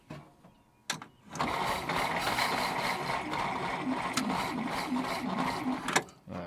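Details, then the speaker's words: Abandoned 1947 Dodge ex-grain truck: sluggish, uneven cranking about four turns a second for several seconds without firing; battery too weak, needs to recover before the next try on full choke. "We're going have to let that battery come up a little bit."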